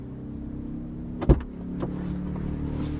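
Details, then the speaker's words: Ryobi 2300 inverter generator started under a 1500 watt space heater load, load level reaching 100: a click as load comes on, then the hum rises smoothly to a steady higher speed without hunting or surging; normal idle-up. "has a nice real smooth idle up feature on it."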